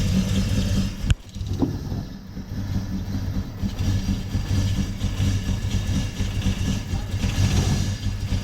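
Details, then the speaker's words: Toyota 1UZ-FE V8 hot rod on a new wiring loom with twin distributors, first start: catches after a thump and settles into an uneven, lumpy idle with irregular pulses; runs poorly, with misfire cause not yet found and fuel suspected not to blame. "so the bottom is back down it runs but not very well but we will continue another day"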